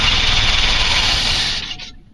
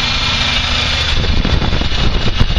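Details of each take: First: 1984 Chevy K20 3/4-ton with newly fitted Edelbrock 1406 carburetor: engine runs rough and loud about 1.5 seconds, then dies abruptly; fuel starvation stall, temporary rubber fuel line from the pump wasn't in the tank. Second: 1984 Chevy K20 3/4-ton, Quadrajet just replaced by a cleaned Edelbrock 1406 carburetor, unadjusted, distributor vacuum advance plugged, first crank: V8 settles into a steady, even idle with revs drifting slightly, no misses or knocks; normal idle.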